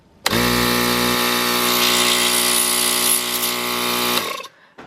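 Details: Toyota Tacoma with newly wired ARB air compressor on Desert Does It underseat mount, first test with truck on: kicks on at once, steady even motor hum with a high buzz for about four seconds, then stops cleanly; wiring good, healthy.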